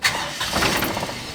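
Brief crank then the engine catches at once and settles into an even run, firing cleanly with no stumbling.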